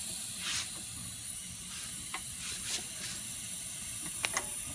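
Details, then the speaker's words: PerkinElmer Cryofill liquid nitrogen dewar filling: soft steady hiss with occasional spits from the open vent letting gas out so the level rises to full; normal. "this one to let all the gas out on top of your liquid nothing level and sooner or later the level will go up to full"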